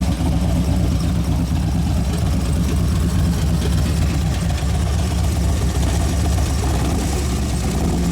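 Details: 2011 Harley Road Glide FLT Twin Cam, hot and warmed up: uneven idle with light clicking and clacking, dropping a cylinder; owner says it ran on one cylinder and wouldn't accelerate until about 3,000 rpm. Cause not yet found.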